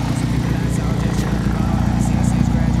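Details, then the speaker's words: BMW E30 "Betty" at idle after all three belts were replaced; the earlier wild-turkey belt squeal is gone. Even, low idle rumble, no squeal or chirp from the belts; normal idle. "sound so much better you see the belts doing work man is spinning"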